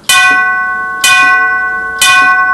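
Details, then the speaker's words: 1939 NuTone Series 2 8-note long tube door chime, volume set about halfway: three strikes each with a dull clunk and flat ring, not as good as it should be; cracked chime tube. "You can hear how it sort of clunks a little bit. It's not horrible, but it's not as good as it should be."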